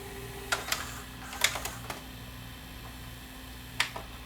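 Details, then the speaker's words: Panasonic PV4361 VCR (1993, OmniVision) after repair, pause mode: low steady motor hum with a few crisp mechanism clicks as it drops into pause; the transport behaves normally and everything works. "Pause is working. Okay, everything on this thing's working."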